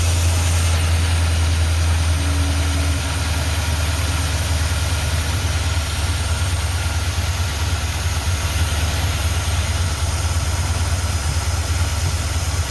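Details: 1978 Plymouth Trail Duster V8 idling after carburetor rebuild, new fuel pump, oil change and fluid top-off: low steady rumble, slightly loping beat, no knocks or misses; normal idle.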